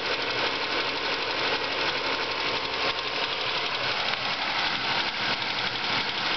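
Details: Ford Focus engine at idle: quick light ticking about three a second, steady over an even idle; owner suspects water pump or worn bearing, source not confirmed.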